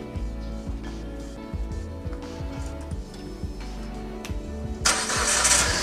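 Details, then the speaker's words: Proton Saga BLM petrol engine idling: rough rattly ticking about three times a second from a worn fan belt tensioner bearing, with an old belt, before replacement. "Oke, jadi di bagian tensioner fan belt ini bising sekali teman-teman. Jadi makanya kita mau tukar yang baru."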